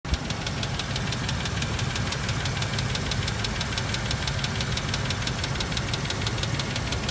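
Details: 2001 Range Rover P38 V8, head gasket just replaced, steady sharp ticking about four per second at idle, present before the repair too; mechanic blames low oil pump pressure, cause unproven.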